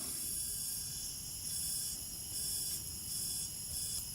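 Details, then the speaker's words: Honda 300EX quad that smokes heavily, leak-down test at top dead center: steady faint hiss of air escaping at crankcase, rings worn or possibly stuck; air leaking past piston rings. "right there is tea all right you can hear a little air coming out of here that means the rings are worn so it's definitely rings it needs hear that air coming out"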